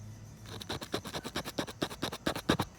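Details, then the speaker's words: Nissan R34, old Eclipse rear speaker: harsh scratchy crackle on every beat with no clean tone; blown speaker, being replaced. "you guys can hear that I was definitely blown so it sounded it sounded like so definitely gonna get this upgraded"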